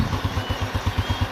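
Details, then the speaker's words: Honda Revo Absolute engine after overhaul for cam chain and piston noise, oil flow checked: even, steady low thump at about five beats a second with no ticking or chain rattle; clean, healthy idle. "Tuh, halus banget, bro. Waduh. Mantep pokoknya hasilnya,"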